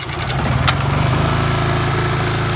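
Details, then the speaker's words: Honda EM5000IS generator after cleaning a clogged carburetor main jet that stopped it starting: starts first pull, then a steady, even hum with no misses or surging; normal start and running. "so you saw that generator fired up first pull runs great nice and smooth"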